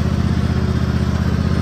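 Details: Toro TimeCutter 5000 zero-turn mower after maintenance, mowing leaves: deep even engine drone at constant speed under light load, no surges or knocks; running healthy.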